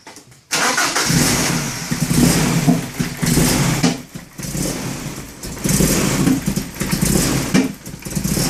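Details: BMW E30 318is M42 with coil-on-pack conversion, ICV cleaned, crank position sensor changed: catches and settles to lumpy uneven idle with dips and surges about every second; owner wonders whether a coil pack is at fault.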